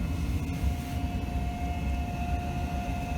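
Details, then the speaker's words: Gas furnace flue (inducer) motor: steady, even low drone with faint hum, no rattle or scrape; inducer now quiet and running smoothly. "the flu motor is quiet and i don't know why i didn't notice that when i was here and diagnosing it"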